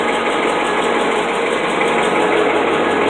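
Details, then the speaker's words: 1974 International track loader, first start after seven months sitting, engine balanced: even steady drone at constant speed, no rattles, knocks or shaking; runs smooth; normal running. "runs real smooth it's actually been balanced so this thing doesn't rattle or anything doesn't shake it just writes absolutely smooth"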